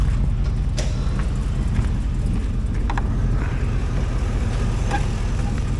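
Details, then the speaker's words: 2004 Hummer H2, LQ4 6.0L V8, 4L60E, donor vehicle test before part-out: deep, uneven rumble with slight stumble as revved, evening out higher up; mild misfire that clears at higher rpm. "It's got a little miss to it."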